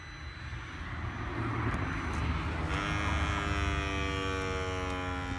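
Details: Volvo S60 model year 2012: at engine stop, the engine dies away and a steady high-pitched buzz with even tones lingers after shutdown; something still energised, cause not identified, owner unsure whether it is normal.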